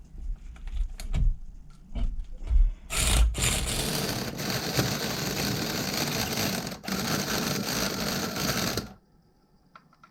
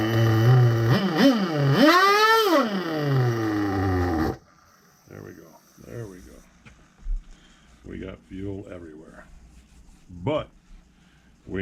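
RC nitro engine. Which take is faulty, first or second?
first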